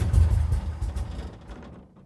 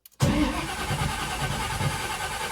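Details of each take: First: 1979 Camaro big block Chevy V8, long unused, started on a sip of two-stroke fuel after cleaning the starter solenoid contacts. A deep, loud rumble catches and revs hard, then settles and fades smoothly. It runs cleanly with no knocks. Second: 1979 Camaro big block Chevy, long unused with no tune-up, after cleaning the starter solenoid contacts. Strong, steady cranking for about three seconds that never catches. The carburetor is dry.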